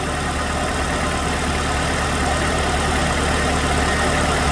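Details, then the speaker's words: 2006 Chevrolet Malibu 2.2 Ecotec four-cylinder after a used ignition control module replaced the failed one that caused P0300 misfires on cylinders 1 and 4: steady, even idle with a smooth low drone, no misses; running on all four cylinders. "it's definitely running on four cylinders now"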